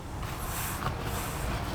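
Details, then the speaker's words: Nissan 350Z engine on a cylinder leak test, with compressed air fed through a spark-plug adapter: a steady, rhythmless rushing hiss out of the exhaust; the exhaust valve is not sealing. "So, it's leaking from here. You can hear it leaking from here."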